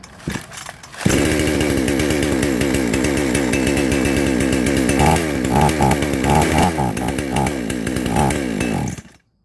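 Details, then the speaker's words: Chainsaw with degraded ignition coil that stalls when hot, after re-setting ignition: starts easily but note wavers and stumbles unevenly; coil suspected bad, swap with same-model used coil planned. "ตั้งไฟใหม่ติดได้นะครับแต่ว่าเสียงสะดุดเอาไว้นะครับเสียงสะดุดแต่ว่าติดง่ายที่เดียวตั้งนะครับ"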